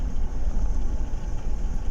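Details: 2012 Chevrolet Tahoe after replacing spark plugs following cylinder 5 misfire and jerking, fault traced to installation error: deep, even rumble on throttle with no stumble, miss or jerk; healthy acceleration.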